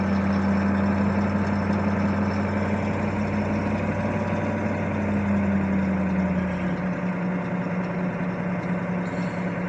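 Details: 1982 Chevy Blazer 6.2 diesel cold start at about 20°F after three days sitting, about 40 lb oil pressure, glow plugs replaced last winter: steady, even diesel clatter at low idle, no misses or knocks; healthy idle.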